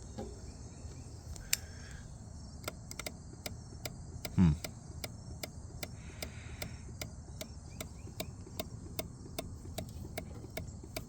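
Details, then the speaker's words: 2019 Kawasaki Ninja 1000 (ZX1000) mid-rebuild, key on after restoring power: sharp even clicks, two to three per second, from near the ECU; owner suspects a loose or shorted connection, possibly a relay chattering. "coming from up here, which is like the ECU and stuff."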